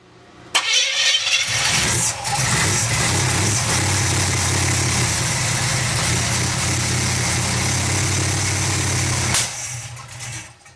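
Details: 350 V8 truck first start, distributor moved one tooth for more advance: the starter churns about eight seconds with ragged catches but won't start. Owner thinks it needs more timing.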